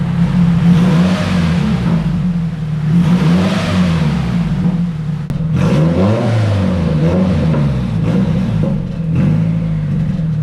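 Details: SR20 turbo engine after fixing a large boost leak, new in-tank fuel feed line and plugs gapped to 0.32, started after sitting: repeated free revs rise and fall smoothly with a light whir, no stumbling; pulls cleanly.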